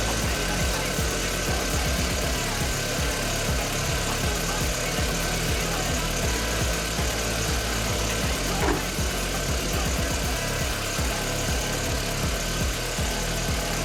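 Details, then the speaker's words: VW Polo GTI after long storage with a flat, sulfated battery, just jump-started with a boost pack. It settles into a fairly steady fast idle with an even low drone and no knock or misfire; running normally. "Now, as you can see, the vehicle started. I'm going to let it come off fast idle for a moment, so it's a little bit more quiet in here, and then we'll go from there."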